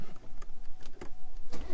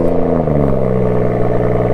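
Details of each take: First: BMW M140i cold start: engine cranks and catches with irregular tinny metallic rattles from the rear exhaust flap actuator, worse when cold and much less once warmed up. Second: BMW M140i at idle; fires and settles into a smooth, even idle with no rattle or buzz from the exhaust.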